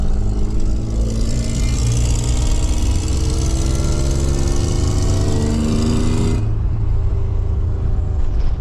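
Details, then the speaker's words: 1995 Toyota 4Runner, second gen, with swapped engine and manual R150F four-wheel drive, pulling hard uphill on throttle. A rough, rapid ticking chuff rides on the drone: an exhaust leak at the cracked crossover pipe. "So that ticking um is the exhaust noise."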